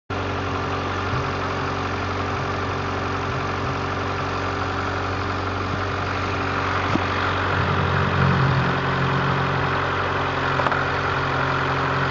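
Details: Honda CRX with B18A1 block and B1 head at idle after third timing-belt tensioning: steady mid-pitched whine over even idle; owner suspects timing belt tension, cause not confirmed.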